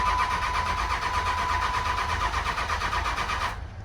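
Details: 2006 Dodge 2500 single cab Cummins diesel, automatic, over 200,000 miles, long parked: starter churns steadily about three pulses a second, never catches; no tach signal, fan clutch unplugged with no change. Crank no start.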